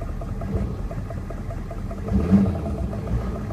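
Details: 1994 Chevy Silverado C1500 6.5 turbo diesel at idle: low rumble with a sharp tick about three times a second, heard best at the recording spot; knock, cause not yet pinned down.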